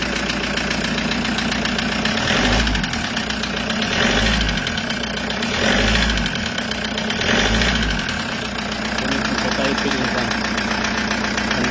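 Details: Toyota Hiace 2KD diesel idling with a hard, uneven knock near four per second and a heavy surge every couple of seconds. Cause was a scratched piston and liner in cylinder 3, fixed by an overhaul with a 0.50 oversize cylinder.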